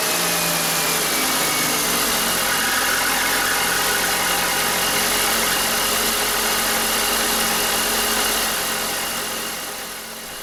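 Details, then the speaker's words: 1999 BMW 320i E46, M52 2.0 L inline-six, 5-speed automatic, about 77,750 km: odd fast even chatter about four a second at first cold start of the morning, suspected around the fan belt area; belt parts to be replaced. "このエンジンもステップワゴンと同じようにどうも朝一の始動時に変な音がするんです。まったく同じ症状です。"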